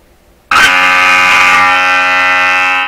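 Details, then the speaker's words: Vintage tube radio with a modified antenna coil, sweep signal generator fed into the antenna primary via a makeshift transformer: a loud steady buzz with a rich fixed pitch for over two seconds, then it cuts off. This is the sweep generator heard through the radio. "Okay, so that buzzing sound is the sweep generator. So it did seem to move it a bit, didn't it?"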